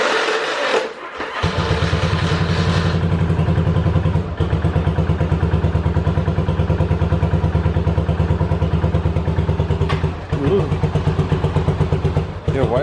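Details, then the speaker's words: 1985 Yamaha Virago 750 V-twin after reassembly: uneven, lumpy firing that sags and nearly dies, then picks back up, choking up with fuel dripping; owner thinks it is running on only one cylinder. "she seems to be choking up a wee bit i don't think we normally fuel dripping down there but why and from where okay so i think it was running off of one cylinder"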